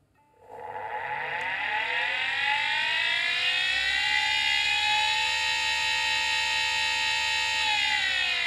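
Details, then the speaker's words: Drive pulled from a scrapyard, not yet opened, powered on: spin-up whine climbs smoothly for about two seconds, holds, then sags; it seems to try to spin up and read the platters but the arms don't move. Drive failing to spin up, cause unconfirmed. "it sounds like it tries to spin up and then maybe it tries to read information of the platters to initialize the disc but the arms are not moving"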